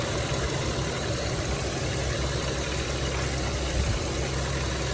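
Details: 2006 Dodge Grand Caravan, 3.3 L V6, after water pump replacement and fresh coolant, warming up with the temperature gauge near half and the thermostat opening: steady, even low idle with no knocks, squeal or grinding. Normal idle.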